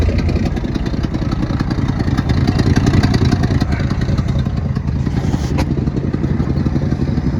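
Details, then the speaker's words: 1972 Ford F-350 auction truck, jump-started at the solenoid while on the trailer: a steady, even V8 idle rumble with no valve-train clanging or misses; it runs and sounds good. A possible exhaust leak is noted on one side. "So she runs. Sounds good too. No valve train clanging."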